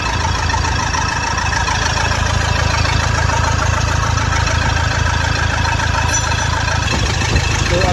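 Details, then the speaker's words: Toyota Fortuner diesel had misfired; after injector work on all four injectors it idles with steady, even clatter, regular beat, no stumbling, all cylinders firing. Normal idle after repair. "बंद कर गाड़ी start कर दे सकते बरोबर है एकदम ऐसा भी मैंने इस निकाला पूरा मिंग कर था गाड़ी अभी एकदम परफेक्ट है"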